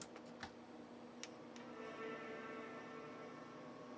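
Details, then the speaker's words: Macintosh Color Classic with a PowerPC upgrade card jumpered to 4×33 MHz (133 MHz), powering on: a soft, sustained chime for about a second and a half over faint room hum, with raster heard; it boots normally. "Chimed. I hear the raster."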